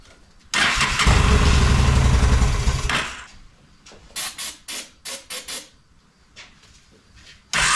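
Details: Honda Shadow motorcycle (possibly 650) that sat almost a decade, old bad gas, on choke with fuel sprayed in: catches and runs rough a couple of seconds, dies, then only spray hisses; dies without added fuel, cause unconfirmed.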